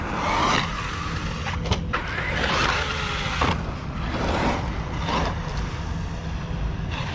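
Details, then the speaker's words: ARRMA Kraton EXB RC car, third run, bashing in a park; sharp, irregular clicks over motor whine and tire noise under load; drivetrain clicking, owner suspects internals grinding or new rear diffs, unconfirmed. "can you hear it silly clicking exp man"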